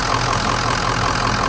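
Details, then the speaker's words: Diesel truck with an unresolved intermittent fault, started after sitting a couple of days (oil filter bone dry), idling smoothly with even clatter, no hunting or surging; runs good now, owner considering replacing the high pressure pump; normal idle. "like right now I mean it started up I mean it started up pretty damn good sounds good it's running good what do you guys think I"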